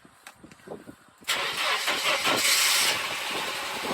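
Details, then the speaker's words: Mercedes W124 at startup: engine fires after a short crank, revs flare then drop quickly, idle slightly uneven and won't hold; owner suspects a dirty idle control valve needing cleaning. "It starts up alright, but it drops the revs. It drops the revs really quickly, so I think something's wrong with it, and I think the idle control valve might need to be cleaned out."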